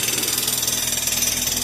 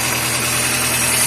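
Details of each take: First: Chevrolet Corsa Classic with the battery warning light staying on: a harsh, hissy scraping pulsing about nine times a second with engine speed, sounding like a pulley rubbing against the timing belt cover. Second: Chevrolet Corsa Classic idling after the battery was replaced. The battery and injection lights went out and the earlier rattle is gone, charging 13.65–13.70 V. A smooth, even idle hum with no rattle or whine: normal idle.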